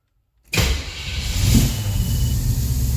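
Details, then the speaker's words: Fuel-injected car after restoration work (pump primed, not yet full of coolant, timing checked): catches instantly and settles into a steady even low idle with no misses or knocks. A healthy start. "of course, is the beauty of fuel injection, is it just starts right up."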